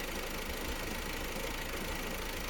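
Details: Opel Astra J B16DTH 1.6 diesel, 55,000 km: uneven knocky clatter at idle with lumpy beat, engine running strangely rough; cause not yet found.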